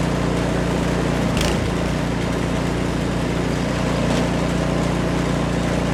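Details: Almost-new Remington 24-inch two-stage snowblower (MTD, 208cc Powermore), warm, after replacing the Torx spark plug with a new NGK: even fast putter with one brief bump, otherwise steady; runs cleanly.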